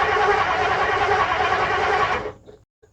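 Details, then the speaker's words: 1959 Edsel barn find, unused for years, cranked without fuel while checking for spark: even starter cranking at a steady rhythm for about two seconds with no knocks, clanks or scraping; sounds healthy. "all right so it did sound pretty smooth it did sound I don't know if it you know it sounded pretty healthy with just the cranking"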